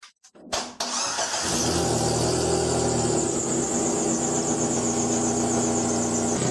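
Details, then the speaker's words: Chery QQ engine starts and idles loudly with a raspy, puffing rattle from an exhaust leak between the exhaust manifold and resonator after hitting the underbody; a gap at the resonator joint needed welding. "By ear you can tell that the sound is coming from between the exhaust manifold and the resonator."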